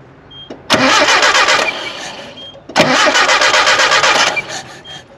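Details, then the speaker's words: Nissan 720 pickup revived after about 20 years sitting, test spark plug on a spare coil wire: even cranking, never fires. No spark while cranking, sparks a couple of revolutions after the key is released; suspected electrical fault, not confirmed. "While you're turning over, it has no fire. As soon as you let off the key, and it has a couple revolutions after you let off the key, it sparks. So it has some kind of funky electrical issue."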